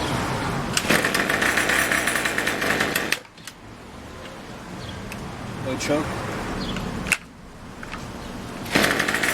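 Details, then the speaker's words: Craftsman Weedwacker trimmer 316.791191, MTD 27cc two-stroke, Zama C1U-P27 carb, after rebuild, next-day cold start with a little throttle: catches, buzzes high and even, drops away, then picks straight back up cleanly; normal cold start and running. "all right this is the next day cold start just wanna see how it starts no joke a little bit of throttle a little gas Chuck"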